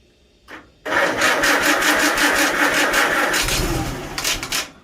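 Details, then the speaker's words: Farmall Super A tractor after the magneto was reset and ignition timing adjusted, with the choke off and fuel on. After a brief crank it catches and runs with a firm rapid beat, sounding much better with more throttle. "There we go. That sounds much better. Let's give a little bit more throttle this time. Ooh, she sounds nice."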